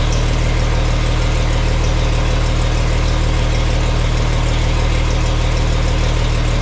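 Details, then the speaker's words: Farmall 460 tractor, rebuilt engine, after installing electronic ignition and rotating the distributor to set timing: even, deep idle at about four pulses a second, no misses or stumbles; sounds nice, though not quite as responsive on throttle. "It's not quite as responsive when I crack on the throttle, but you know, we'll mess with that a little bit if we have to, but if you don't gouge on it, it's it's pretty good and it sounds really nice."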